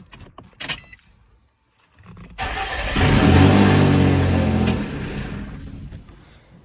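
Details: 2006 Nissan Xterra after no-crank/no-start fault (oil from failed valley cover gasket shorted ignition coil, blowing 30 A ignition fuse), fog light fuse refitted: brief starter crank, clean catch, steady even run, no misfire or knock; normal start.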